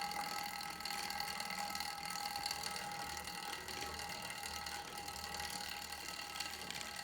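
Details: Star Trac Spinner 7070 spin bike: light, fast, irregular ticking and rattling with a thin metallic ring while pedalling, a drivetrain rattle thought to be chain vibration.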